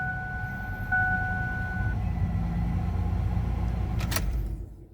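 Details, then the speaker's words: Old Ford van starting on a dead battery revived with a DC stick welder (now 12.7 V): even low engine rumble holds steady after a brief faint whistle, no stumbling or knocking; normal idle. "that sounds very good"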